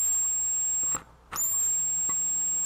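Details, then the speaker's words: Vintage 1979 Snap-on MT241A timing light after reattaching a loose lead for an intermittent power switch, microphone by the oscillator: steady very high-pitched squeal with one brief dropout; normal oscillator, stays on. "works perfect every time stays on"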